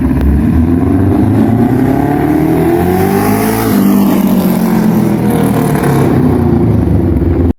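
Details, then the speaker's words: Three-cylinder motorcycle engine with an uneven firing order: a rich, uneven beat rising and falling with throttle, recalling a 180° twin or a fuller single, clean with no knocks; healthy normal running. "Eu realmente não sei explicar esse som. Às vezes lembra um bicilíndrico de 180 graus com mais presença, ou, por faltar um pulso, lembra a batida de um monocilíndrico muito mais cheia."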